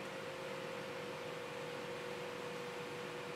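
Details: Sapphire graphics card fan under manual speed control, speed being raised. Steady airy whir with a constant mid tone; the fan only starts at high speed because its internal controller fails at low RPM, not bearings or lubrication.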